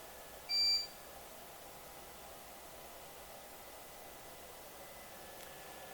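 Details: Eaton Ellipse Pro 1200 line-interactive UPS after loads are unplugged, switching to battery: one short high-pitched beep then near silence; normal on-battery alert.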